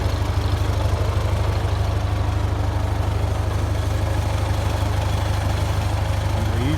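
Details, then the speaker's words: 1951 Ford 8N tractor after complete engine overhaul, previously knocking in the upper engine from a loose #2 cylinder sleeve: even low thump about three beats a second, steady rhythm, no knock; rebuilt engine idles cleanly, normal. "This is what she sounds like now. Hard to believe that a tractor that's built in 1951 makes it like 68 years old, man. It's still knocking along."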